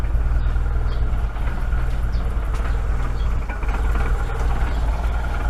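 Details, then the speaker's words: Proton Saga Iswara LMSS idling just after start, having sat a week on jack stands, following belt and seal work; low, steady, even idle with no squeal or knock; power steering noise gone; normal idle. "not bad you know after sitting for a week not too bad idles quite quite nicely"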